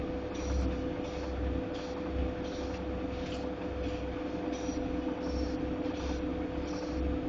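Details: Godrej fully automatic washing machine running: continuous low rumble with a soft thump about every half second; running rough, cause unclear.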